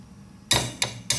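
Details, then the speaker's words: Replacement distributor cap, dusty but uncracked, tapped to compare with a cracked one: four sharp taps about a third of a second apart giving a solid 'thud' with no tinny buzz; intact cap. "I don't know if you can hear the difference, but this one's got like a thud and this one's got like a ting."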